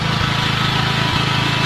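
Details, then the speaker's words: Norton PGi2500c inverter generator after the owner cleaned and tuned it: engine settles into a fast, even beat with a steady mechanical hum and no misses or surging; starting better and running smoother. "Yep, starting a lot better now. More smooth. I cleaned it up myself."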